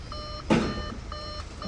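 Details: 2014 Audi A4 Quattro 2.0L after timing chain replacement, running at quiet idle with no codes: a steady repeating high chime, about two tones a second, likely the door-open warning.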